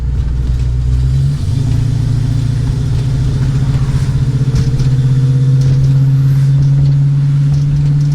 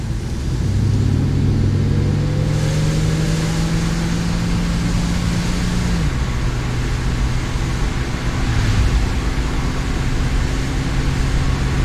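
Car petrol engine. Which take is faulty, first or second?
second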